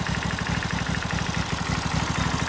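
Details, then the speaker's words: Briggs & Stratton 16 hp V-twin on a John Deere lawn mower, shroud off during repair, idling smoothly with an even, steady low thumping and soft twin lope, no misses or knocks, little smoke; normal idle. "It's like so smooth. There's not really any smoke, which is great. I just love that sound."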